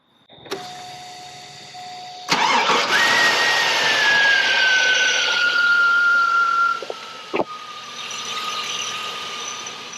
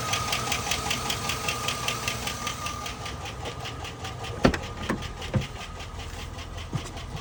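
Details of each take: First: 2001 Chevrolet Silverado V8 with a lifter tick, after Seafoam treatment and about 10 minutes of sitting: it restarts and settles into a smooth, even idle, far quieter, with no noticeable lifter tick. Oil change and Lucas additive still planned. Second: 2001 Chevrolet Silverado V8 idling with a sharp, even tick two or three times a second over the engine; owner suspects a stuck lifter, before trying a Seafoam treatment.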